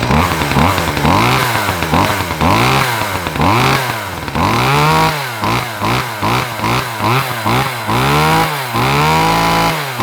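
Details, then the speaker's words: Lawn Boy two-stroke mower started after an earlier heavy-smoke episode, before a new chain: revs up and drops back repeatedly, picking up cleanly with no bogging or misfire; running fine. "oh yeah I think it's going to be all right"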